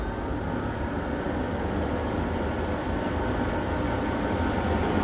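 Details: Old rusty, dust-caked 12-inch Pakistani exhaust fan: steady, even roar with a low rumble once up to speed; rough, dry-running motor points to bearings lacking lubrication.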